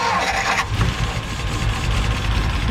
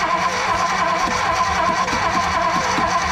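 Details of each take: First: 1957 Ford Fairlane 500 V8 started after 30+ years sitting, with a new ballast resistor fitting the ignition issue: steady, slightly lumpy low idle with no stumbling; ignition works again. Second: 1957 Ford Fairlane 500 sitting 30+ years, with new ballast resistor, fuel pump working and throttle pumped, starter churning steadily, slightly unevenly, about once a second without firing; it ran shortly after. Cause suspected, not confirmed.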